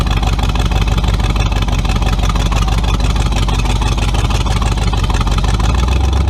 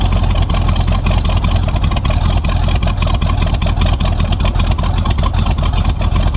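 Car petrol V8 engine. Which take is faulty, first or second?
second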